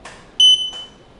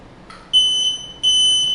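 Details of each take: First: Journey Air lightweight folding power wheelchair backing up: a single sharp, high-pitched beep about a third of a second long in a quiet room; normal reverse warning beep, which can be disabled by holding the horn and slower-speed buttons. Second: Journey Air folding power wheelchair just powered on: shrill half-second beeps repeating steadily, meaning it's in neutral/freewheel; rear brake levers must be set to drive position.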